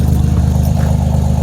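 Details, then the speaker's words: 2007 Pontiac Grand Prix GT after crank-no-start, mismatched spark plugs: cold start fires up to a deep steady rumble with lumpy cam pulse, no misses or knocks; small exhaust leak seen. "See, she fires up. Damn, yeah, listen to that cam. Cold start."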